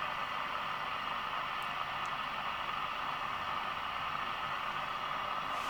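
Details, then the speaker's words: National Panasonic RQ-434DS boombox, 1970s, running on mains through an isolation transformer. The radio gives a flat, even hiss with no station coming in; the front end is trying to pick things up, but there is no reception. "so it is trying to pick up things so the front end is working"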